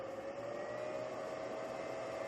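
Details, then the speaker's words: Samlex 350W pure sine wave inverter on four paralleled 12V Schumacher batteries, powering a 60-inch TV at about 49 W after a 99 W surge: quiet, steady mid-pitched fan whir, even, no rattle; normal cooling fan running. "well now the tv is on the fan is cranking so it drops from 99 to 49.2 watt"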